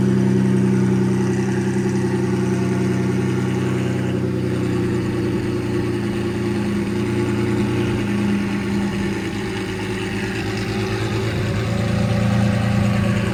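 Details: Lamborghini Murcielago V12 after repairs (new filters), left to heat cycle: a smooth, even idle with a steady deep hum and no knocks, misses or hunting. Normal idle.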